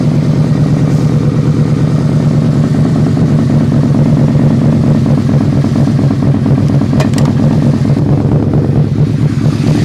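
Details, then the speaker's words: V4 motorcycle jump-started and idling a little cold: an even, lumpy V4 idle with a steady low beat and no popping or misses, running clean. "Great sounding bike, V4. It's a little cold."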